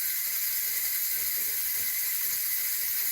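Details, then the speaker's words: Nesco electric pressure canner processing pints of chicken (75-minute cycle): steady even high steam hiss, no sputter or rattle; normal venting while holding pressure. "So, I'm doing pints. You can hear that steam."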